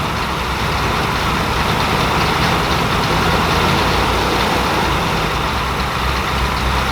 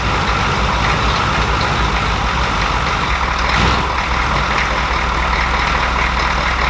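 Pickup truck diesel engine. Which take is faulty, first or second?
first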